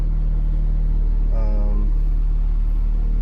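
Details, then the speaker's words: 1995 Honda Civic Si hatchback, heard inside the cabin at idle: heavy, steady low boom and the whole dashboard shakes. Solid racing-style lower engine mounts from eBay replaced the OEM mounts. Excessive idle vibration. "the vibration from the engine taking it all in thought so you know when when you're inside I mean my whole dashboard is is shaking"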